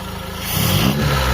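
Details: Carbureted car engine after carb tuning only, no overhaul, vacuum up from about 10 to 15-plus: even engine note that picks up smoothly and builds without stumbling or misses; running clean.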